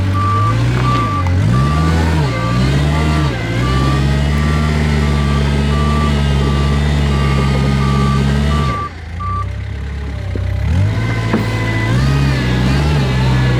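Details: Kubota R520 hydrostatic wheel loader after swapping its forward and reverse relief valves: diesel pulls steadily under drive load with the reverse alarm beeping about four times a second. Forward now hits relief with the wheels not spinning, pointing to the relief valve that had been in the reverse circuit.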